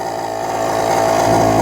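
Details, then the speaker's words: Mercedes-Benz S500 air suspension compressor, run by raising the suspension: harsh, steady electric buzz growing louder, far too loud for the car; failing compressor, replaced with a remanufactured unit. "all right so if you want to get the air compressor working you just have to put the suspension up a little bit and you can hear right away right there this is not exactly how quiet a Mercedes-Benz should be"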